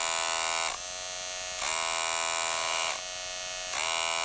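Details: Wahl Detailer cordless hair trimmer running normally, as it should sound, with a steady, even high-pitched buzz and no rattle or grinding; reference against a unit that runs loud and won't cut.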